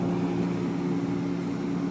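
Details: GE 18 cu ft refrigerator (GTH18) after evaporator fan motor replacement (old motor had loose bearing): steady even low hum, no rattle, scrape or clicking; fan and compressor running normally.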